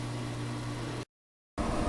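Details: 2004 Englander 25PDVC pellet stove, original 10-year-old auger motor, after oil and grease fixed its groaning strain: low steady hum with faint even drone, no groaning; motor sounds much better.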